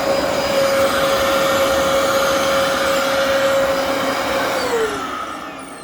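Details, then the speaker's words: Dyson DC14 upright vacuum with a seized brush roll: steady, piercing belt squeal over the motor roar as the belt slips, followed by a burning-belt smell; the motor-to-clutch belt also needs replacing. "Yeah, I can hear that. I can hear that belt squealing."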